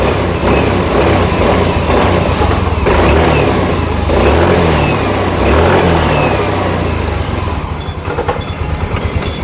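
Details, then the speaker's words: Yamaha Fino fuel-injected scooter that stumbled above mid rpm, after swapping component socket part, on test supply: throttle snaps climb and settle cleanly with no stumble or flat spot; clean throttle response. "Sekarang posisinya itu digas penuh semua, tidak ada kosong."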